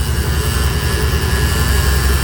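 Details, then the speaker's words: C4 Corvette first morning start after sitting hours: steady deep groan under cold idle with a faint thin tone, gone after 20–30 seconds; owner suspects power steering pump drawing air or the belt, unconfirmed. "And the car makes that sound every time I start it up after a few hours of not driving it, and then it goes right away."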